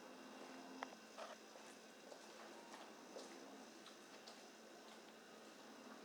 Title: GE Profile Fridge Noise